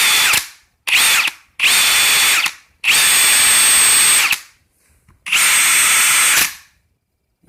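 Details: Brand-new Ridgid Octane hammer drill, second unit after returning the first for clutch noise, speed mode one, driver mode: short bursts of high-pitched running with rough, gritty grind over motor whine; abnormal grinding noise.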